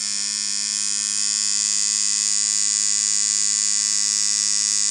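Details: Dan Kubin Sidewinder V3R tattoo machine after the fix, rubber bands on, at around 5.5–6.5: a consistent high buzz over a firm low hum, steady without hiccups. Running properly.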